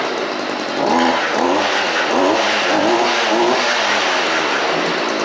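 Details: Stihl FS 55R string trimmer, small two-stroke, started before trading: fires straight up and revs cleanly, pitch rising and falling with throttle without stumbling; normal running.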